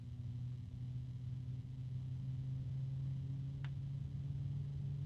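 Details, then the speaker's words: NZXT F140 RGB fan, bare (not in a case), sound test at very low speed: steady low droning tone with a clear overtone, fairly loud harmonic resonance, something rubbing; resonance hum. "a harmonic resonance another [Music] one that's pretty loud again of course if this is in a case it's not going to be as loud"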